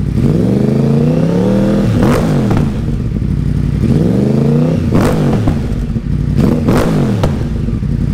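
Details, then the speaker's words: Wrecked 2014 Yamaha R1 crossplane engine (deer crash) revved near exhaust: repeated blips rising smoothly and dropping back with crisp exhaust crackle and flames; normal, healthy revving. "the cross plane Motors are something like no other bike on the market right now these bikes are absolute monsters and I love the way they sound"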